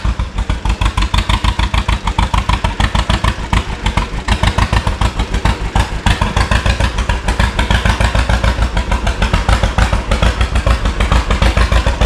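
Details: 1936 John Deere Model A two-cylinder, first start after sitting 3 years with new plugs, points, cap; carburetor not rebuilt, float possibly sticking, choke on: loud slow popping about three beats per second, slightly uneven; owner thinks it needs adjustment.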